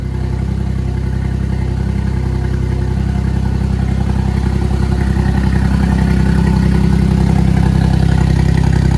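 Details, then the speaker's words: Suzuki Cappuccino 660 cc three-cylinder turbo, first start after N2 kit install (Suzuki Sport N2 ECU, RHB31 turbo, new injectors): loud, even idle with steady low thump, no misses or knocks, all three cylinders firing cleanly, no oil leaks; normal idle. "just stupid that doesn't sound like a a three cylinder 660 cc engine seems to be running everything's good no oil is exploding anywhere"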